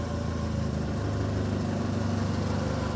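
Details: Ford Ka (about 2010) with Zetec Rocam engine, check-engine light on, at idle: loose, uneven clattering of about three beats a second rides over the engine. Engine knock that led to a timing chain replacement.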